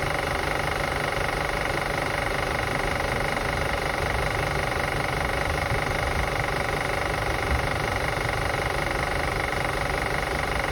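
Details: 2005 Acura TL after starting and running: steady idle with a light, fairly even ticking of a few ticks a second riding over the engine; clicking noise, cause unknown.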